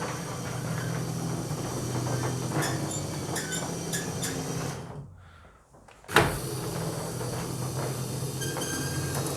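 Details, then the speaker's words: Garage roller door rumbling through its travel after spraying lubricant on the springs, with only a faint, thin squeak now and then, much less than before. "Il y a encore un peu grinçant, mais certainement pas aussi clair comme il était avant,"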